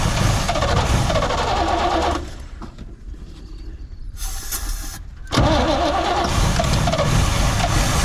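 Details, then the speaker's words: 1972 Chevrolet C20 pickup stored over 20 years, first revival run: engine runs rough, sags almost to a stall for about three seconds on throttle, then catches and picks up; owner suspects failed accelerator pump, carburetor may need work. "oh well i bet that accelerator pump is probably kapoot's might need a little carburetor work but it will run so i would call that a wind"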